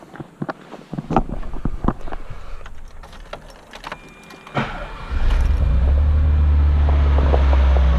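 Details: 1984 Maserati Biturbo with a fuel-injected engine swapped from a 1989 Biturbo and a new fuel pump fitted for hesitation. After clicking and handling, it settles into a steady, low, even warm idle, quieter than the choked cold start, with no misses or knocks.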